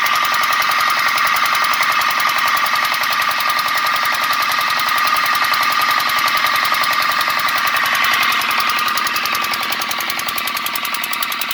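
Sharp, regular ticking knock at about three and a half per second under a steady engine drone; abnormal knock, source not yet pinned down.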